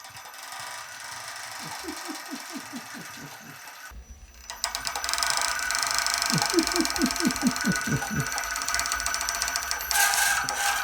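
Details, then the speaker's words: Custom RC tower crane hoist motor lifting a roughly 16–17 lb sand-filled steel counterweight: bursts of sharp clicks about two per second while it strains; clicking present all along, not the drive shaft, spool or bearing, cause unknown. "we notice it's clicking a little bit we can hear the motor clicking is there any reason why honestly i don't know"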